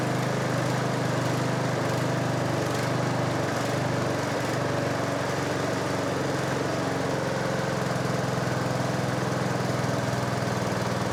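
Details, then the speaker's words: Sabre 1438 riding mower (John Deere-built) first run after new valve, filter, plug and elbow: steady fast idle with uneven, rough-edged drone; runs okay but sounds off, owner suspects loose flywheel, unconfirmed. "It's, yeah, that sounds funky. The flywheel might be loose."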